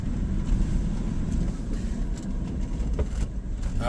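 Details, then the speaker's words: Van slowing while driving: low road rumble, then a short high squeal at the end. Owner suspects worn brake pads with the wear indicator just starting to touch; not confirmed. "that's break noise well we have to get brakes done that's yep break noise I was just talking about that I think this morning I think the little that little chirper is just starting to touch"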